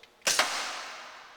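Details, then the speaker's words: Hardinge Model HC automatic chucking lathe spindle brake: sharp double clack as brake grabs, then fading metallic ring as spindle stops; normal brake engagement, tightness not checked. "That was the brake we heard, so brake on, brake off."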